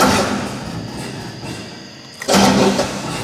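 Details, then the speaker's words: New, cheaper aftermarket starter that had only clicked, now hooked up so it works. After background rumble it whirs in strongly and briefly spins the engine with no clicking, a normal starter crank; the engine was not started. "so yeah that's working like it's supposed to"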